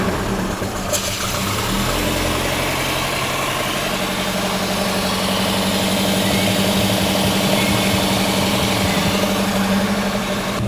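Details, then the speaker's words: A Volvo 240 with twin Dellorto 45 carburetors is warming up cold after a start on choke. It idles unevenly with a lumpy beat and occasional pops from a misfire. "Got a couple of pops in there. Monica seems to have developed a little bit of a misfire since last time."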